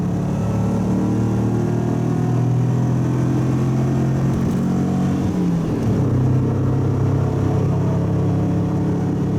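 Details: Subaru wagon with a newly welded-in Lukey Turbo muffler replacing an X-Force straight-through, light-load cruise: steady low drone with slight pitch changes, smooth, no rasp or blowing; quieter at low revs and low load.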